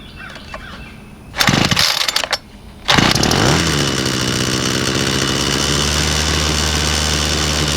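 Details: Homelite two-stroke weed eater (50:1 mix) after a gas-tank, fuel-hose and fuel-cap replacement that fixed a starts-but-won't-run fault: a few pulls and sputters, then it catches and settles into a steady, even high buzz on half choke, running normally.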